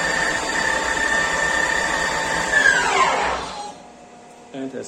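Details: Microweily TY2500 lathe, new, motor on a VFD: steady high electric whine with stacked tones, then pitch sweeps down fast as the effective brake stops the spindle; normal.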